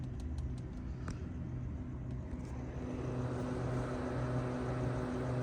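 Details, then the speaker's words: 2005 Infiniti G35 with repeatedly blown ECU fuse, P1065 code, after swapping the IPDM ECU relay, key off: steady whooshing hum with a low drone and no engine firing; electric cooling fans keep running. "The only thing I'm kind of worried about is I I still have the fans running. And the security light, you can still hear the fans on."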